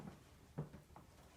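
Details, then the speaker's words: Bathroom door swinging quietly after its squeaky top hinge was sprayed with lubricant, wiped and worked in: no squeak or creak, only a soft low bump partway through. "You can see that? Nice and quiet."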